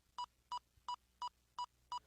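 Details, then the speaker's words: Power Probe ECT2000 circuit tracer receiver in pulse mode following short-to-ground signal: beep pulse speeds up as receiver nears the circuit, slows when lifted away; normal circuit tracer pulse tone. "When you first turn on the receiver, it's in pulse mode. The closer you are to the circuit, the more rapid the pulse. The farther away you lift the receiver, the less rapid the pulse becomes."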